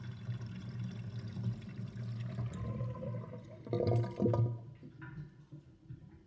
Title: Interesting kitchen sinkdrain with gurgling sound (2)